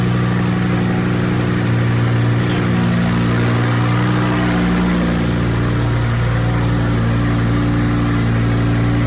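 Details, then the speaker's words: Wrecked 2020 twin-turbo Audi R8 during rebuild, first start after two unplugged connectors found, stock and cold: engine catches cleanly, settles into steady even idle with smooth low rumble, no misses or knocks; normal start and idle. "It starts right up. Sounds pretty good. I mean, it's all stock right now, but you know what?"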